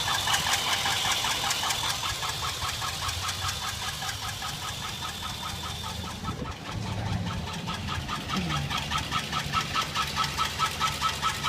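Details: Chevrolet Express 4.8 V8 idling with belt removed to rule out pulleys: rapid regular knock or tick over the engine sound, cause unknown.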